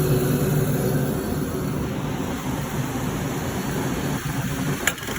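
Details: Firelake/Shenandoah waste-oil furnace burner after nozzle cleaning and pump service, oil tuned: a steady even roar with a low hum, no sputter or pulsing; the burner is firing smoothly and healthy.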